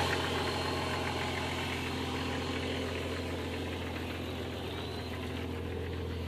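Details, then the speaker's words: 1999 Jeep Grand Cherokee with the 4.0 inline-six, warmed up and idling after an oil change to 20W50 for lifter tick; a light, quick lifter tick rides over the engine note, and a Y-pipe with pinholes makes the exhaust loud. "Dude, yeah, you can kind of hear the lifter tick. It's kind of warmed up now."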